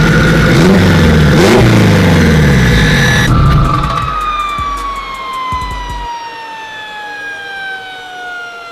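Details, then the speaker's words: Turbo Honda Civic Si, newly built engine, DC5 Creations turbo kit, no radiator yet so only short runs: pulls hard, then a whistle slides down in pitch as revs fall, no rubbing or scraping. Pulley rub on the cover fixed by adjustment; sounds healthy. "Made a slight adjustment on that cover, and now, thankfully, that noise is gone."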